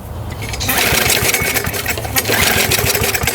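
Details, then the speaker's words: Older Briggs & Stratton 3.5–4.5 hp mower engine (carburetor on metal tank) after carburetor diaphragm repair and spring adjustment, primed: uneven rattling pull-start bursts that never settle into a run. Hard starting; the primer is suspected of not working right away. "All right, let's give it another shot. Sometimes these primers don't work right away. I've noticed that."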